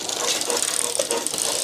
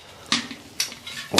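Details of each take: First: Old Motobécane city bike with a new rear derailleur, high limit screw not yet set and cable not connected: rattling clatter and chain slap as the chain overshifts off the smallest cog. Fix is screwing in the limit screw. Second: Old Motobécane city bike, wheel with a broken spoke just replaced: four sharp little cracks as the wheel is pressed, spokes seating under fresh tension after truing. This is normal, and the pressing is repeated two or three times.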